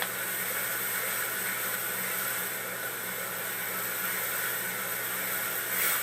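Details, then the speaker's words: Used Duo-Art rotary vacuum pump (spider) driven by its motor during function test, vacuum gauge fitted and being closed off to load it: steady airy rush with faint even hum, no knocks or rubbing; runs smoothly under load. "And that way you'll be able to hear what the spider sounds like under load."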